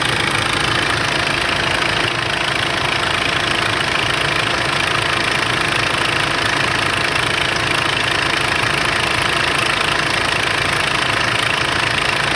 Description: Startup rattling engine noise (bad timing chain?) on 2005 Kia sorento 2.5L CRDi D4CB diesel engine